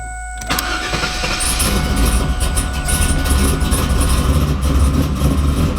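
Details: Freshly built LS V8 in 2002 Camaro SS, previously no-start with security light on, after VATS security disabled via HP Tuners: brief crank, catches right away, lumpy but steady idle; clean start.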